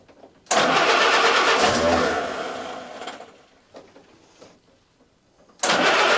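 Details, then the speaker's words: Willys Jeep after carburetor replacement, started on full choke: cranks and catches, runs raggedly a couple of seconds, fades and stumbles, then refires; carburetor mixture out of adjustment for the engine. "so we got to fire off and she's running sounds like clearly the carburetor is not set up properly for my engine"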